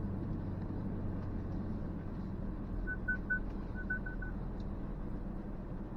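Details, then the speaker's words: 2023 Ford Ranger Tremor off-road on a trail: short high chirps in two bursts over low engine rumble; parking sensors detecting nearby branches. "guys hear that pinging it's just picking up those branches and stuff which I will turn off for now foreign"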